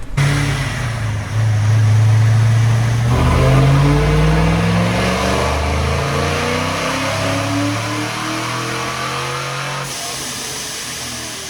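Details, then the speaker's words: Freshly broken-in supercharged C5 Corvette V8 on a dyno, after its spark plugs were checked for a misfire that had appeared as a dip in the graph: a full-throttle pull revving cleanly and smoothly, sounding much better, with both banks equal. "i was like yeah tipping sounds way better yeah it sounds hella better"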